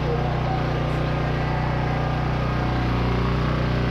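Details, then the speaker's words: 30-year-old Coleman PowerMate generator with a Subaru engine, dead for a year, started on choke with clean fuel: steady low drone at constant pitch, no misses, surging or hunting; the fault was probably aged dirty fuel plus a dirty spark plug, now running normally. "Oh, that's awesome. That is so awesome. I was expecting 100% that it was indeed a dirty carburetor, or something was plugged in the carburetor."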